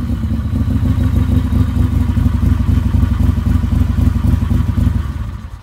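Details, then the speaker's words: Motorcycle with rebuilt starter, primary refilled with oil and mostly reassembled: strong, quick, even cranking near four pulses a second, no grinding or slipping; starter sounds like new and turns the engine over healthily. "you hear that starter sounds like it's brand new usually I can do that once and they're like they're new and you hear it just cranks like a big dog"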